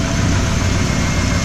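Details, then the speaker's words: 1994 Ford F150 4x4 at idle after swapping a groaning rebuilt Ford power steering pump for a used salvage-yard Saginaw pump, with new fluid: low even rumble, no whine or groan. Pump now quiet; normal. "well I've got the truck running and maybe you can tell it's a lot quieter now that pump doesn't make any noise whatsoever"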